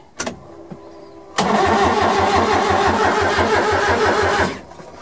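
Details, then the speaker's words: Suzuki Carry mini truck on a 275 CCA lawn tractor battery, first crank after sitting: starter turns it freely at three beats a second, no clanking or stuck valves, never fires. "nice it's turning over nice nice all right well that's a good sign"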